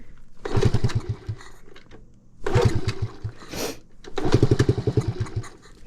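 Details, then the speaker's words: 1969 Honda Z50 mini bike, cold, key on. Three tries give short bursts of rapid low puttering, each dying within about a second: it fires but won't keep running, and the owner suspects it needs choke. "right I guess we are gonna have to choke her"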